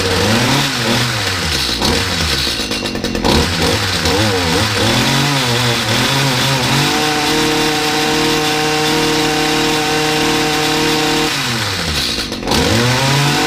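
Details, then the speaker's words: Stihl HS45 two-stroke hedge trimmer that was hard to start, after a service, primed and started on choke: it blips several times, then holds a steady high buzz with no smoke or bogging. It runs normally. "it started off okay it's not smoke it's not bogging it's not showing any signs of anything that it shouldn't be doing here"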